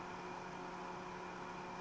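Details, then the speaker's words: BougeRV 3500BTU outdoor portable air conditioner switched back from fan mode to AC mode: steady even low hum and airy fan rush as the compressor comes on, with no rattles or knocks. Normal compressor start. "You can hear the unit turning the compressor on."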